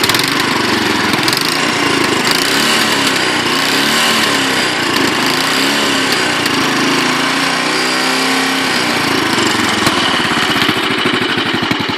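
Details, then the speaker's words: Royal Enfield Bullet 500 Classic single idling just after kickstart: steady, even thump with light tappet chatter on top and regular firing; the owner says a decent exhaust would sound better. Healthy, normal idle. "If you get a decent exhaust on it, it will sound a lot better, but oh, it smells lovely. You can hear the tappets going there."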